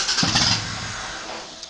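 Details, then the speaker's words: 1993 IROC Daytona on MS3 engine management, trigger angle possibly 65, after-start enrichment being adjusted: engine fires briefly then dies within a second; starts then stalls, after-start enrichment suspected. "as you can see it fires it turns but it doesn't continue to stay running"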